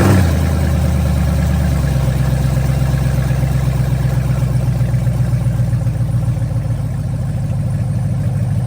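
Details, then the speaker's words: Cutlass with Gen4 LS V8 swap, first start on startup tune with correct injectors, no cooling system, short run with gas pedal blips: steady, even deep smooth rumble, responds well, no knocks or misses; normal idle. "ready and she start on the first time that's because BP sent that startup tune and I had the right injectors so she sound good y'all heard when I was hitting the gas pedal like it's responding good and everything"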